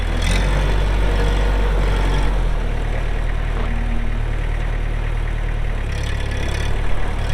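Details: 2004 Kubota M6800 4WD pre-emissions diesel tractor, 1,181 hours: deep, steady diesel idle with a firm low thrum and no knocking or hunting; normal healthy idle.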